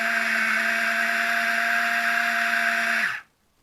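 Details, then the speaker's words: Gerui GR-12-005 electric cigarette-making machine: the motor whines steadily, then sags in pitch and stalls, straining because the tobacco is too humid and long. "Il veut pas, hein. Le tabac est pas très approprié. Ce tabac là est pas idéal. Voyez, vous entendez le moteur qui force."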